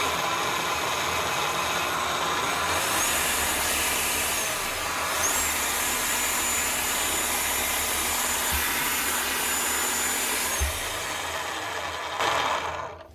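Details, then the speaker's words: Makita HR5211C rotary hammer from 2012 (1,500 W), before repair: a steady high motor whine for over ten seconds with no rhythmic impacts, so it is not hammering. The cause found was a broken conrod. "Right, he must have meant it just stopped hammering. Because that's not doing anything."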